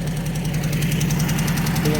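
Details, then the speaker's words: Ford Escort Mk3 GLE: steady idle with a quick, even light tick from one cylinder; owner suspects a collapsed hydraulic lifter, valve cover not yet removed to confirm. "And we're back to the picking noise up. We definitely got one cylinder that's not doing what it should."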